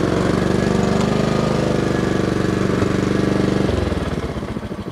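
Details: Honda HRR216 mower after winter storage, hot restart: quick, even single-cylinder beat at steady speed, no misses or knocking, then it winds down cleanly; runs healthy.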